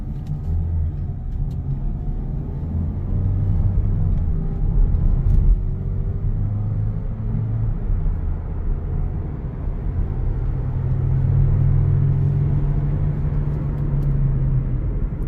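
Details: Mazda CX-3, low droning hum under road noise at 75 to 80 km/h from a worn rear wheel bearing; fix was replacing the rear wheel bearing.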